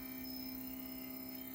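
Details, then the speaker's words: Primaluci Lab Sesto Senso 2 focuser on a Williams Optics 132 FLT, reinstalled at least four times, driving back to position zero: a thin, steady high-pitched whine the whole time it moves, louder than expected; cause unclear. "But this noise has been really annoying, and I've installed this focus. I've taken it out, installed it at least 4 times, and followed all the instructions."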